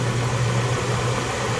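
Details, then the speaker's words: Jeep ZJ 4.0L inline-six idling after full exhaust replacement with new front pipe, muffler and tailpipe, cat removed: smooth, even hum with no tick; the earlier suspected lifter tick was apparently the old exhaust rattling. "since uh doing everything it actually sounds pretty good in fact i had what i thought was a lifter tick or a rod kit uh a ticking under the valve cover"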